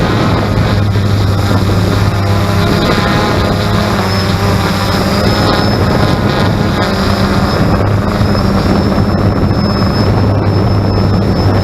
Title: x 380 strange noise